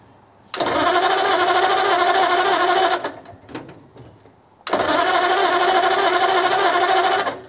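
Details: Model A roadster's engine with Holley 2100 carbs, primed with fuel after a year under a tarp: two long bursts of steady, even cranking separated by a pause, never catching; cranks but won't start, owner suspects corroded points.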